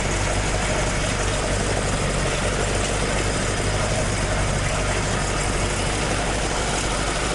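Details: Toyota AE86 with 4AG engine after exhaust leak repair, stock exhaust sound: steady even idle, firm low burble, no ticking, puffing or leak hiss; exhaust sealed and healthy.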